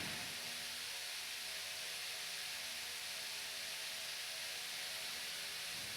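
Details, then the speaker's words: Fan on high after cleaning junk from bearings and re-oiling: steady airy rush with faint low hum, no ticking or scraping; running smoothly, at least not worse. "Yeah. At least it's not worse. And I did clean out some junk in the bearings, and there's now more oil in, so hopefully they will last longer."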